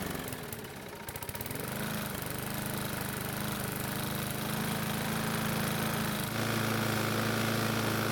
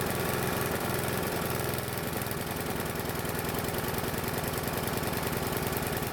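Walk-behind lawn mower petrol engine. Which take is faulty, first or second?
second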